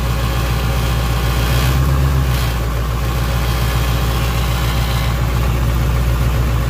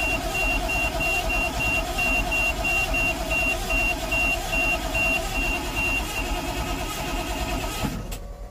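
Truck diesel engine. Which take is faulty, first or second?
second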